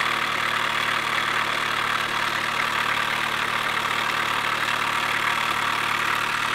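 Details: 2007 Chevy Cobalt SS supercharged, cold start in the morning: loud, steady knocking at idle, about three per second, over a busy whirring engine; bad cam/timing chain tensioner suspected, unconfirmed.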